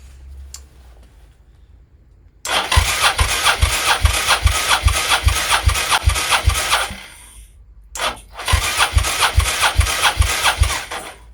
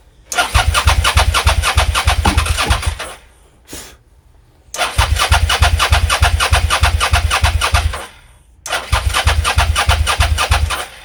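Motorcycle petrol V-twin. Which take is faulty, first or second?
second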